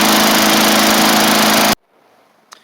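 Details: 1990s MTD Yard Machines push mower, old-style Tecumseh primer engine, after moving the throttle cable/screw in so it throttles up better; strong, steady high-speed buzz with no surging or misses, then clean shut-off, normal running.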